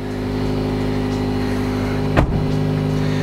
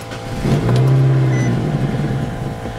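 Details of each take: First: 2007 Nissan Sentra after fuel pump replacement, just started: steady, even idle with faint fuel pump whine, one brief handling clunk; no check engine light, running smooth. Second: 2007 Nissan Sentra 2.0-liter, about 13 years old, after dying while driving as if out of gas; with the intake boot off and starting fluid sprayed, it catches and surges roughly for about two seconds, then dies; spark and compression are fine, so the fuel pump is probably dead.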